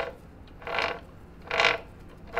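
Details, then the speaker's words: 1985 Honda ATC 70 with a swapped Piranha 140cc 4-speed semi-automatic engine, engine off: three sharp creaking, ratcheting bursts from the chain tensioner, which stop once the tensioner is taken loose, confirming the tensioner as the noise source. "so we loosened the tensioner and it looks like it just makes that noise which is really disappointing"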